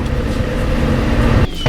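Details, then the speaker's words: Lowered car after an exhaust repair rerouted the outlet to the rear: low, even, very quiet exhaust drone with no ticking or leak puffs, tone barely changed, then shutoff. "it's very quiet it changed like little to nothing about the tone of the exhaust at all which i think is a win because I'm trying to keep this car quiet"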